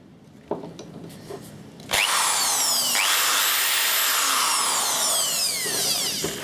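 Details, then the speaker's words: Bosch corded drill (secondary drill) after brushes and bearings rebuild: a few clicks, then steady high-pitched motor whine holding speed evenly, no sputter or grinding; feels very smooth and reasonably powerful, normal running. "but it feels like quite feels very smooth it's probably reasonably powerful"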